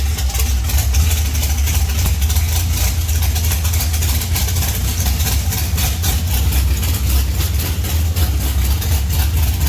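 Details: 1971 Plymouth Duster race car, 528 big-block Mopar on alcohol with Powerglide, run after sitting 3 years with rockers loaded (valve springs likely weak): deep, loud, lumpy idle, even pulses, no knock or misfire; runs good, needs new springs.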